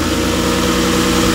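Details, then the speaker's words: Lexus IS300 after valve seals, timing belt, cam seals, tensioner, water pump, thermostat, spark plugs and coil packs: steady, even idle with a smooth low hum, no misfire; engine healthy. "so no misfire it means nothing running back together"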